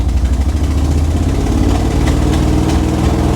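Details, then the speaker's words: Salvage-yard square body C-10 truck idling lumpy and uneven, one cylinder cutting in and out, with a major exhaust gasket leak present; it barely stays running and has no power to pull forward in gear. "hear that? There's a cylinder going in and out. Yikes. That is not sounding good."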